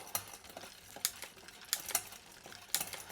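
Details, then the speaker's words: Mountain bike rear derailleur after tightening the barrel adjuster: crisp single clicks about once a second as the chain steps through the middle cogs, with no grinding or chatter. Normal gear shifting. "everything in the middle here through all these different gears now they're shifting"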